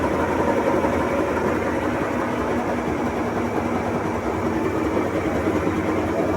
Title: 21355 - Leak in seal caused bad bearings / loudness during spin.